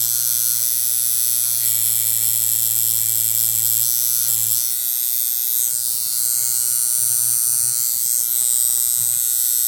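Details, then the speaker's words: Coil tattoo machine with lengthened stroke, supply turned down to about 7–7.5 volts: high, rapid buzzing that dips and falters, starting to bog at low voltage, still hitting hard but barely usable. "So you can hear it's starting to get a little bit of a bog. And I can actually kind of use it, but not really. So we go down to 7 volts."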